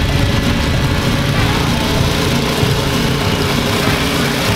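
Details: DR leaf vac engine, restored and mounted on a tractor, started outdoors for a working test: steady, even small-engine drone with a smooth low rumble and no misses or surging, some outdoor noise; running healthy.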